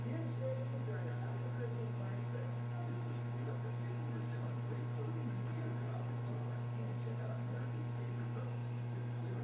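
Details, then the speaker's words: Game machine power supply after recapping and reflowing connectors, voltages checked; steady low mains hum under faint speaker static, nothing buzzing or crackling; residual hum now low and acceptable. "i don't hear a lot of hum"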